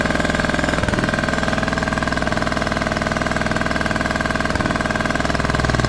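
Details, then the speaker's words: Craftsman T1200 riding mower, scrapyard rescue running on old gas with a replacement spark plug. Hard, gurgly, lumpy thumping about four times a second with very high compression: rough running. "good gravy this engine sounds funky I've never heard one of these run before it has like a gurgly sound to it that is crazy crazy compression just seems so high on this thing may end up just checking the valves on this too"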